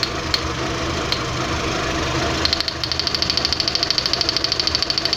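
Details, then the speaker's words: Fourth-generation VW Jetta 2.0 losing power badly, while checking coil spark: uneven loping idle with sharp ticking around two to three per second. Misfire rough idle. "Entonces ahorita vamos a checar la chispa en la bobina, ahorita que el carro sigue fallando."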